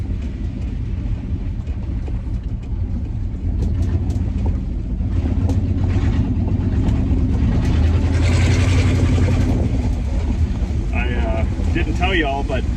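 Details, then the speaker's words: 1965 Acadian Beaumont, neglected for years, first test drive after brake work: loud, raw, unmuffled engine note rising with throttle over road noise; an exhaust manifold gasket donut is completely gone, leaking. "one of the the gasket uh exhaust manifold uh Donuts is completely shot like it's gone so that's obviously not a good thing"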